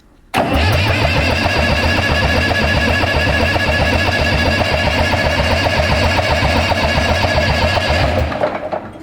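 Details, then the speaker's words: 1984 Case 830 tractor after long barn storage, fuel lines dry: starter churns steadily about eight seconds, even rhythm, never catches; owners suspect no fuel reaching yet; crank no start, no fuel delivery. "know I'm starting to think there should be getting some fuel course those lines were dry everything was dry dry dry"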